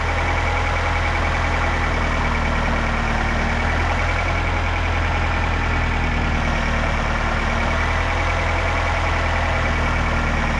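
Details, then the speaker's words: 2008 Nissan X-Trail T31 2.5 L replacement engine just installed after the old one blew, first run with fresh oil and cooling system still bleeding air: steady, even low idle hum with no knocks, ticks or misses; normal idle. "it sounds like we've um bypassed that which is great and um yeah it's running nice"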